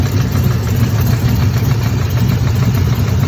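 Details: Chevrolet Camaro 1LE V8 at operating temperature idling: even, rapid puffing tick on the low rumble; owner suspects an exhaust leak, unconfirmed.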